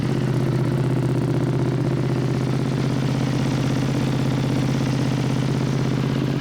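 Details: Wrecked Ducati V2 Bayliss rebuilt as a track bike, started outside: steady, even V-twin idle with deep uneven-firing thump holding constant; sounds healthy.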